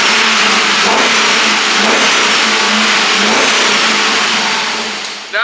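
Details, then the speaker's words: 1966 Chevelle with an LS2 V8 swap, running with the mass airflow sensor unplugged after new gas: even, steady running with clean free revs rising and falling smoothly, no misfire or knock; engine sounds healthy. "Sounds pretty good. Am I right? Sounds awesome. It sounds really good. Can you hear it? It sounds even Steven."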